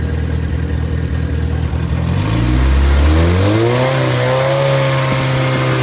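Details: Completely rebuilt MG Midget 1500 engine (fits Spitfire; ~1978-79), bored 0.020 over, flat-top pistons, 270 cam, shaved head 9.5:1, run unmuffled on test: open-pipe four-cylinder settles to steady even beat, revs cleanly, no knocks or misses; healthy.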